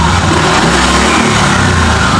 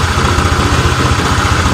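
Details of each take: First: Honda Vario 125 (old) after repair and ECU reset: engine climbs and falls smoothly through throttle blips, no stumble or popping; engine fine on road test, CVT rollers suspected worn from jerking. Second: Honda Vario 125 (old) with stumbling and overheating complaint, before repair: uneven wavering idle that won't settle, rpm set at 1,000 drifting to 1,600 by itself; throttle opening/TPS value fluctuating, throttle body to be checked.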